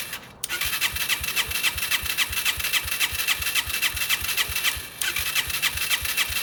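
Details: Yamaha TTR125 during restoration, first start attempt after engine reassembly and wiring: the starter cranks in a fast, even rhythm, about four beats a second, without catching; hard starting, engine wouldn't start on its own and needed brake cleaner.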